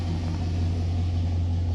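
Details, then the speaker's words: Engine idling right after its first start, with oil pressure reading 60–70 on a standard high-volume oil pump and the temperature gauge still unproven. Deep, steady low rumble with an even, unbroken beat and no knocks or misses. Normal idle. "holy crap 60 70. wow dodge i always heard they were kind of high idle and they kind of calmed down"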